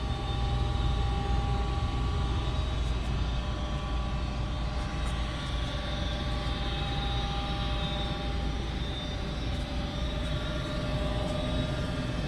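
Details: Goodman 95% AFUE gas furnace, first official startup of the 2019-2020 heating season, burner lit: a steady, even roar of burner and blower over a constant low hum, no rattles or squeals; normal furnace operation.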